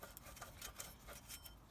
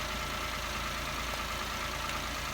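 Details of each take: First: Peugeot 107 / Toyota Aygo / Citroen C1 1KR-FE engine, pump turned by hand after belt failed: dry gritty scraping with uneven ticks each turn; worn water pump bearing, replaced along with belt and antifreeze. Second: Peugeot 107/Toyota Aygo/Citroën C1 with the 1KR-FE engine, just after replacing a failed water pump (noisy bearings had broken the belt) plus the belt and pink antifreeze: even, steady idle with no knocks, rattles or belt squeal over a hiss. Healthy running.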